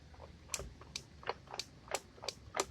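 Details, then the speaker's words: Rebuilt T5 5-speed transmission from a 1994-95 SN95 Mustang 5.0 302, on the bench: light, sharp clicks about three a second as the input shaft is spun by hand, fading after the first spins; cause unclear. "clicking as I first spin it but after that you hear that but after I spin it that goes away"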